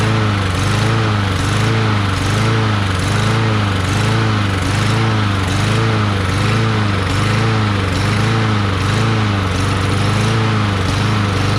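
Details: Craftsman push mower with Briggs 550EX engine, just after the new plastic carburetor replacement: single cylinder holds a steady run with a gentle rise and fall about once a second, no misfire; old carburetor was faulty, possibly a missing red O-ring.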